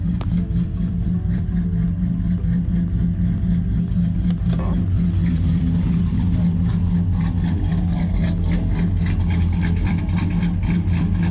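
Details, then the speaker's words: Truck with aggressive camshaft, after fuel tune corrections with HP Tuners: steady even rumble at about 700 rpm, fuel trims near perfect, no misses or stumbles; normal clean idle. "Good, clean idle."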